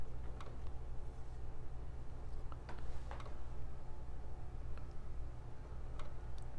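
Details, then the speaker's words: PS4 CUH-1215B COD edition fat console with a newly installed 1TB hard drive: scattered sharp ticks from the Blu-ray drive over a low hum, as if trying to eject a disc, probably with none inserted; white light, no video. Suspected drive or logic fault. "hit the Blu-rays making a sound like it's trying to eject a disk or something hear it [Music] so it usually means something is jacked up"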